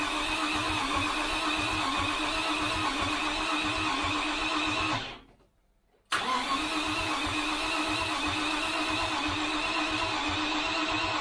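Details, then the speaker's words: 1973 Range Rover (B suffix) first start attempt: two long bursts of cranking with uneven firing and popping through the throttles, engine never catches; likely incorrect/weak ignition, good oil pressure. "because the popping you can hear it through the throttles it's likely because the ignition is um is not correct"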